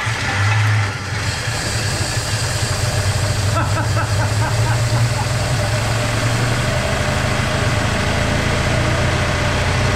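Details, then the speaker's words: 1949 Pontiac flathead eight, freed from being stuck, first start with head gasket known bad: catches into a steady, lumpy idle with an odd unidentified extra noise, possibly exhaust; cause uncertain. "i'm not sure what that noise is i'm not gonna be alarmed"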